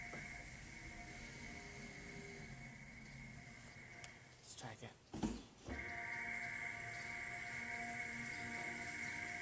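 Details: 2016 Toyota RAV4 XLE Hybrid pedestrian warning sound while backing out of the garage below 15 mph: steady high whistle with fainter overtones, briefly dropping out mid-way; normal operation.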